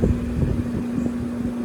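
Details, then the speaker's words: Recently installed Trane AC outdoor unit on R410a, warranty call: compressor running but no warm air from top; capacitor ruled out. Steady low hum near 200 Hz over fan rush; low refrigerant charge. "Looks like we've got a charge issue here. I know I don't like these drains. The way they are. Did not care for that. But I hear the compressor running"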